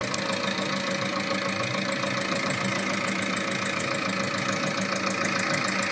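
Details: VAG 1.9 TDI 105 hp diesel at steady idle; light, fast ticking about three to four per second, from a defective hydraulic lifter.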